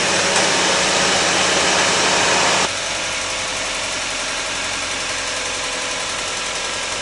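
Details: 2003 Honda Civic Hybrid idling, hissy light regular tick about three a second; rear spark plug with carbon on it suspected of making the noise, new plugs planned, not confirmed.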